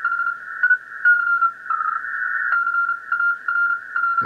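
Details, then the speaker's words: Kenwood TS-950S HF transceiver after repair of a deaf receiver, RF board to IF unit feed checked at CN7: a narrow CW signal on 20 m, clean Morse tone about 1300 Hz over a quiet background, normal reception. "That was a narrow little CW on 20 m."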